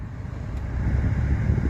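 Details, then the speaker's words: 2002 Dodge Dakota HVAC blower that ran only on high, after blower resistor replacement, key on: low, steady airflow rumble on lower speed setting with no rattle or whine; repair fixed it. "All right, yeah, woo! Well, there you have it, folks. That was a simple fix."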